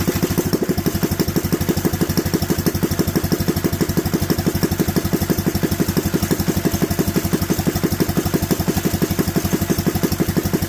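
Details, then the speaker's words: Predator 212 single-cylinder, carb with 95 main jet and .02 idle jet: steady thumping about three beats a second, stumbles as revs drop; lean out on deceleration, 98 main jet to be tried next. "so as you can hear we've got some lean out when it comes down we're gonna up it to the 98 jet but I'm betting the 95 is going to be where we should be at"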